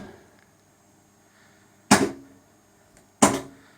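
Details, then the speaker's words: Sega/Stern pinball power driver board coil test: only two sharp solenoid thumps about 1.3 s apart with silent gaps, several coils and flashers out; owner suspects a coil shorted through the lamp matrix. "doing the coil test it appears we got a whole bunch of bad coils and flashes so I'm imagining someone shorted out a coil through this the uh lump Matrix at some point"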